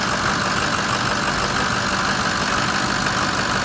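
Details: Steady, even diesel idle with a smooth, unbroken drone and no knocks or misses, heard after repair work; engine running cleanly.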